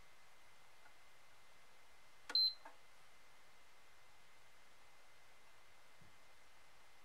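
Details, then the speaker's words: PS5 started by shorting a resistor near the connector; a single short high beep, then it turns on and shuts off; blown fuse F7001 found, motherboard short suspected; beep then shutdown. "So it turns on and then turns off."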